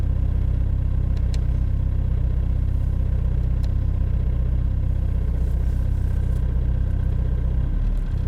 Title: Pornire la rece bmw e46 320d touring la 0 grade cold start bmw 0C